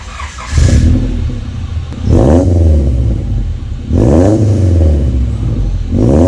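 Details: Honda wagon after installing a Vibrant Performance aftermarket muffler on existing exhaust: three clean rev blips, deep even raspy exhaust note with no rattle; old muffler's banging and clunking gone.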